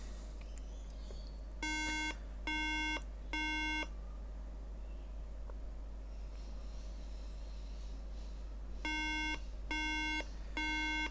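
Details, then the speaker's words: 2011 13-inch MacBook Air A1369 that won't turn on, pressing power on charger: three evenly spaced beeps repeating continuously; three beeps usually means RAM fault, repaired by RAM reflow. "so we get three beeps and it just continues forever so i thought i turned it off let's try again"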